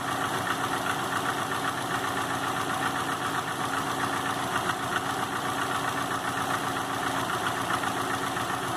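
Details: 2005 Subaru Legacy GT rebuilt (refurbished block, new crank and bearings, used rods/pistons and heads) after spun rod bearings; warm idle oil pressure 22psi, new plugs, no exhaust leaks, used VF40 turbo: light, fairly regular knock about four per second at idle, cause unknown.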